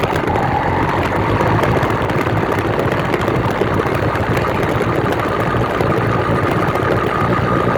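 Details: New 66/80cc Chinese two-stroke motorized bicycle engine on its third start, being broken in on 24:1 oil/gas and 91 octane. Even continuous burble holding one speed with no hunting or stalling. Clean idle.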